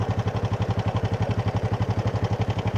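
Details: Supra motorcycle idling after chain/sprocket and bushing replacements: steady low idle with rapid pulsing thump and coarse rough edge, still rough; chain found too loose and engine bearing rustle suspected, cause not pinned down.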